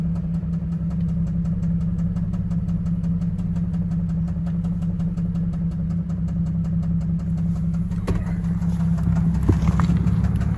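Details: Cadillac CTS 3.6L V6 at idle: light, rapid tick of about two to three per second over the engine. A bad lifter on the camshaft is suspected, needing replacement; not confirmed.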